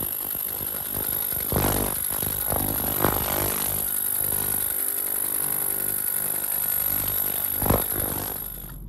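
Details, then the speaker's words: BMW N54 port fuel injectors in an ultrasonic cleaner while being fired: steady high-pitched whine with a busy rattly injector buzz. The injectors were cleaned because one flowed about 10% differently, to free gunk that may stick the solenoid. "And the idea is any gunk or grime or anything that's built up in the injector and causing that solenoid to stick, either stick open, stick closed, whatever it is, hopefully it frees it up and gets it to go out. So this is what the actual cleaning process sounds like."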